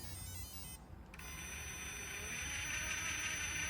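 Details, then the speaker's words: Axial 3-gear metal-gear RC transmission after installing a Vanquish slipper eliminator: steady high-pitched gear whine, still a little loud but free of the earlier bad ticking; drivetrain sounds healthy. "it sure did transmission still a little bit loud but that's what you get for having Metal Gear transmission but it don't have that bad ticking sound anymore"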